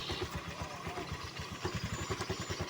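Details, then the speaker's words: Newly bought Honda Vario scooter at idle: rough rhythmic thrumming from the CVT/belt side, rear wheel won't stay still and gets pulled; CVT clutch dragging at idle. "di sini ada permasalahan sedikit ya di bagian bakivinnya suaranya kasar seperti ini ya teman-teman Oke begini ya suaranya bannya ini tidak bisa diam ya teman-teman saat stasioner"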